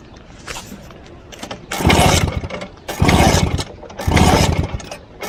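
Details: 1963 Vespa VBB two-stroke scooter, warmed up, cranks in three long bursts of about a second each but never catches; it won't start after warming up and also rattles at idle, cause unclear.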